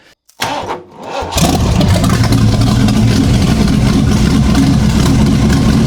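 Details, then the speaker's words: Boat engine after a Pine-Sol carburetor cleaning and distributor housing notched for more timing: after a few cranks it catches into a strong, even, steady rumble with no misses, knocks or stumbles; running well. "Wow, this boat is running awesome, man. So that's what I'm talking about."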